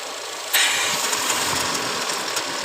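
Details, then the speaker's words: Idling petrol engine, after replacing cam actuators, with a steady airy hiss that jumps louder as air is strongly sucked in; the PCV is being checked for the intake suction noise. "So Pinatay ko kasi kasi may tumunog ka parang hangin na humigop na malakas"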